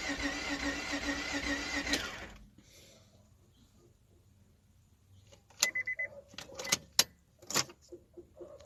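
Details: Car cranks but won't start after a new fuel pump was installed: starter whirs steadily two seconds without catching, then scattered clicks; owner suspects a fuse or relay.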